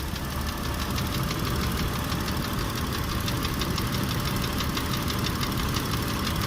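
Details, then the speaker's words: Idling car engine with steady rapid metallic knock over low rumble; claimed remedy of thicker oil for hydraulic lifters doubted; engine knock at idle. "так Явный тук мотора слышим говорят что гидрики залить говорит масло надо погуще гидрики перестанут стучать"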